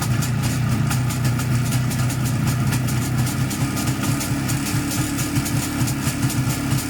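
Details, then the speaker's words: 1987 Izh Jupiter 5 (transitional model) two-cylinder two-stroke at idle: fast metallic ticking and ringing over an uneven idle; owner suspects the piston group, wrist pin or crankshaft, possibly also a noisy engine chain. "Не знаю, что в нем звенит, но мне кажется, это либо поршневая, либо пальчик, либо коленвал."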